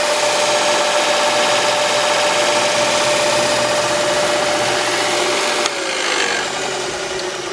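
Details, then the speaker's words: Jet 2x42 belt sander, second unit, newly set up with tables not yet squared: steady whir with light buzzing rattle nearly four times a second from the loose miter gauge vibrating. "vibration is the miter gauge there I already figured that out"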